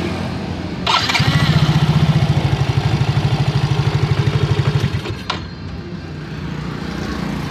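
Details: Yamaha Mio GT scooter whose electric starter had died, after the fault was traced and fixed: strong, even whirring crank at a steady pace for about four seconds, then the engine catches and settles to idle; starter works properly.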